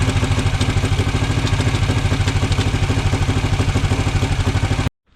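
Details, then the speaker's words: Norton Model 50 single held at fast revs with a thumping beat and clatter, then stopping abruptly; it won't keep running without heavy throttle. Points and coil are past their best, and the carburettor is suspected to be bunged up. "I mean, you might have noticed just how hard I was having to rev the thing to keep it running earlier. Much harder than I should have done."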